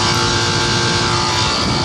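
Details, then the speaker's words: Old Nordyne air conditioner outdoor unit: harsh, loud, steady drone with a strained rough edge; compressor judged to be going out. "Now just listen to that compressor. That compressor did not sound great."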